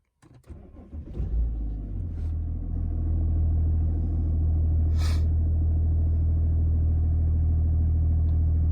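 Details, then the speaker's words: BMW 330d N57 (E90/E91/E92) just after fuel pump replacement, ignition cycled several times to bleed the pump. A short crank, then it fires right up and settles into a steady, even diesel idle with no misfire or rattle: normal start and idle. "yeah that's pretty much it it's fired right up no problemo"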